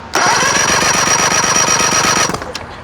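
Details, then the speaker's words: 1999 Johnson 70 hp two-stroke outboard that won't start, cranked on a jumper button with key off and plugs out for a compression test. Brisk, even cranking; cylinder one reads about 130 psi. Normal, healthy compression. "Okay, we got about 130 pounds on cylinder one. Key thing you're looking for is even compression numbers."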